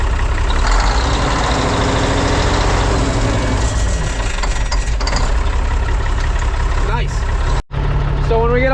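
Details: Mack silage truck diesel started after installing new Dynatard engine-brake solenoids and gaskets: deep, even rumble with steady low pulses, no knocks or misses; normal healthy running.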